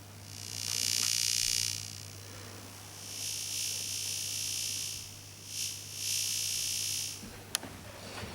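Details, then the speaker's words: Plasma TV heard through a homemade earphone amplifier acting as an AM detector, near the Y-main board: high hissy buzz in bursts over a steady low hum, changing with black, red and white pictures; plasma panel buzz. "you can hear it's actually sustaining quite a bit more now"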